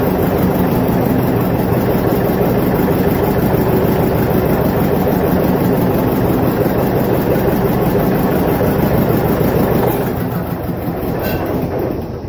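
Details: Vintage John Deere 720 two-cylinder diesel tractor after head gasket repair: rough, throaty chugging at about three beats a second, steady pace; running normally.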